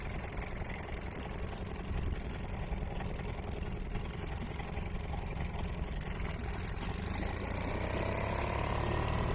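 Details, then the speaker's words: Old Seagull 40 Plus outboard, restoration project, first beach test in the water. Uneven, hunting putter that never settles, threatening to die; cutting out, owner suspects blocked fuel pipe or little filter, plans to clean them. "Well, she fired up, which is amazing, and had a good run, but it's still cutting out. I reckon there's a blockage in the pipe, so this is probably clogged, or the little filter in here."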